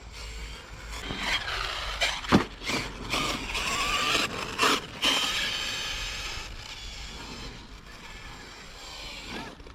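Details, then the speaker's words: Traxxas X-Maxx RC truck with 18/54 and 20/50 pinion/spur gearing after repeated stripped gears; harsh gritty grinding with irregular clunks and squeals under throttle as pinion and spur teeth strip. "so she is grinding really badly all right guys we're gonna have to call it unfortunately she's grinding too much"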